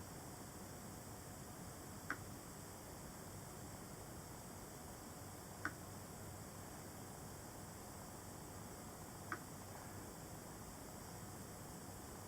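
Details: MacBook 12-inch 2017: faint irregular ticks, louder when opening the lid and when tilting sideways, from something loose moving inside; problem remained after Apple replaced the screen.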